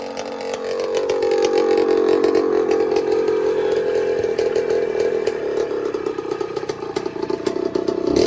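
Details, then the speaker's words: Suzuki RM60 two-stroke dirt bike (year uncertain, possibly 1982) after carburetor cleaning and fuel-feed fix: steady high-pitched drone holds under throttle without bogging, now runs clean off choke where before it only ran on choke. "and now she runs good before was really only running on choke and it would kind of rev out whenever i would take it off choke"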